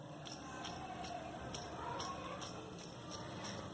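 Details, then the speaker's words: Jeep Renegade: the old idler pulley bearing, removed and spun by hand, gives a gritty, rough rasp pulsing about twice a second; it is worn. After the bearing and Poly V belt were replaced, the engine noise was gone. "rodando aqui na mão dá para ver que tá fazendo bastante barulho né Tem uma sensibilidade também ele tá roncando"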